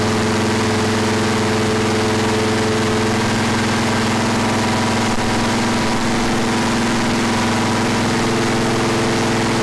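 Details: Freshly rebuilt 461 cubic inch V8 for a 1974 Pontiac, first start after fuel and water leaks fixed, initial timing checked before break-in; deep steady even idle, no misses or knocks, settling well after start-up.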